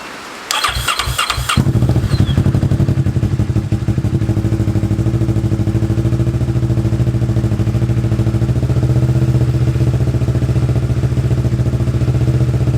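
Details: Kawasaki Ninja 650 after stator and rectifier replacement, new battery, Power Commander fitted: a few cranks, then fires straight up and settles to an even, steady idle with no knocks or ticks; charging voltage rose to just over 14 V.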